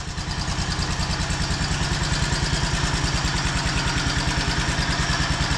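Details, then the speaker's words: Wheel Horse C-120 8-speed tractor, 12 hp Kohler, new battery, unrun for several years: even, steady single-cylinder thump at fast idle, very quiet with no smoke or misses; normal running. "I can't get over how quiet it is. Listen to that. That runs like a top."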